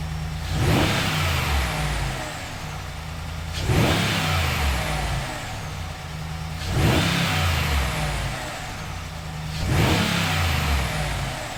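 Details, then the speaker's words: Ram Rebel Hemi V8 after swapping the factory intake for a Corsa PowerCore closed-box dry-filter intake: four clean revs about every three seconds return smoothly to a steady idle with a throaty intake note; normal revving. "the second thing is i was definitely looking for the sound improvement so with the stock intake they're designed in such a way to really quiet down the truck as much as possible"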